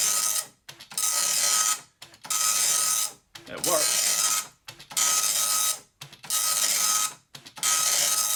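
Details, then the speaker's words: Amstrad DMP-2000 dot matrix printer, about 30 years old, self-test started by holding line feed at power-on: even rasping print passes about every 1.5 s, each stopping cleanly between lines; self-test printing normally, ribbon worn. "it's got a self-test, so if you power it off, power it back on again and keep and hold line feed pressed down, it does a self-print."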